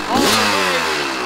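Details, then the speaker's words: 1998 Kawasaki KX250 two-stroke after repair following poor running since rebuild, idle adjusted up: kicks over, catches at once, brief rev then steady idle; normal start and idle. "I think he's happy oh that sounded better what do you think we got it"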